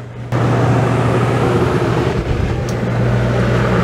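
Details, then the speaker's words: Dometic RV roof air conditioner after the analog control was replaced with a digital control and thermostat, cool mode selected: sudden steady low hum over the fan as the compressor starts and runs evenly; healthy. "the compressor just came on could you hear it"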